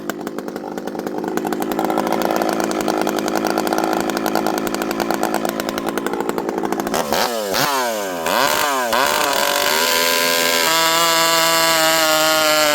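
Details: Rebuilt, ported vintage Stihl 064 chainsaw with new piston, clutch and replacement carburetor, 25-inch bar, warm, cutting wood full throttle; high steady scream dips only slightly biting in, then clears to full revs; strong, healthy cutting.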